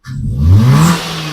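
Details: 2013 Maruti Swift Dzire running without the crank sensor: engine climbs smoothly from idle to a quick rev and settles back without stumbling.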